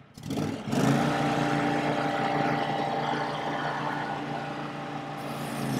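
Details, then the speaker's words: Older Scag Turf Tiger mower with a new Ogura soft-start clutch module, at full throttle, heard from the rear: engine hum dips as the blades engage, then settles to a steady drone; it engages smoothly, like a slipper clutch. "so you can tell it kind of sounds like a slipper clutch"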